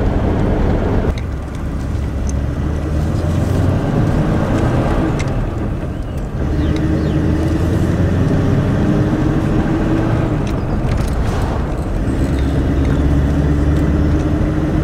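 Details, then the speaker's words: Ford V8 Pilot after a replacement distributor and carburettor and fresh coolant, driving home from a classic car meet: deep even V8 drone rising and falling with road speed, no misses or knocks; started instantly. "it seems to drive really nice thing sounds really good it started instantly this morning"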